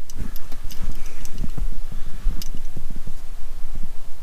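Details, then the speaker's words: Jeep Grand Cherokee sunroof that has stopped working, fuse already checked, ignition on, heard at the rear sunroof motor and controls: irregular dry relay clicks in both directions with no motor hum; the relay switches but the motor never turns. "on peut l'entendre bien le rôle et qui se déclenche et à vers l'arrière on entend bien aussi le relais qui se déclenche"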